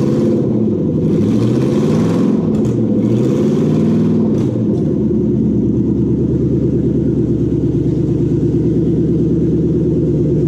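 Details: Toyota UCF20 1UZ-FE VVT-i V8, freshly prepped for a hot rod after cam belt, water pump, crank seal, thermostat, idlers and loom connector plugs were replaced: revs up and falls back a couple of times, then steady smooth idle, no knocks or ticks; healthy.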